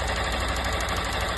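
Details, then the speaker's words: Motorcycle (160) idling with fast light ticking rattle, mistaken for valves; touching the loose ignition coil stops the noise, releasing it brings it back; loose ignition coil rattle, not engine internals. "Só a bobina folgada. Trisquei aqui na bobina, parou barulho."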